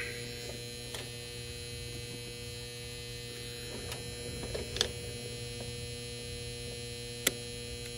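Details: Goodman package unit with no heat or air: constant low control-transformer buzz with faint clicks; the control fuse is blown and the common wire was left unconnected.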